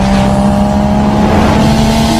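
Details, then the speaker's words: Two-stroke Vespa after new piston and rings replaced scratched piston that caused ticking: loud steady buzz with strong fan whir and exhaust rasp, ticking gone; normal running. "Oke, jadi bunyinya memang udah nggak iclik-iclik, tapi bunyi kipas, knalpot juga keras ya kan, maklum karena ini motor Vespa, kipasnya besar ya, otomatis suara kipasnya lebih terdengar ya."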